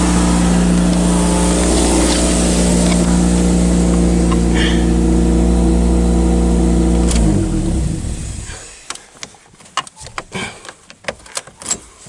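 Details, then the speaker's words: Toyota Celica 2.0 ST cold start after two years parked with very little fuel; even, steady, smooth low idle drone for seven seconds before shutdown, sounding healthy; normal idle. "nice isn't it i know it does the whole thing did you yeah"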